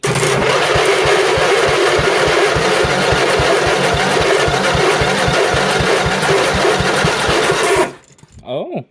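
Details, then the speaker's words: Briggs & Stratton 8 hp flathead for a John Deere 110 swap, run on the bench after sitting a while: slow lumpy putting about four beats a second that stumbles unevenly and dies; idle likely set too low, suspected, not confirmed. "Maybe sounds like it needs idle turned up a little and uh maybe shouldn't be on the bench, but uh I have a solution for that."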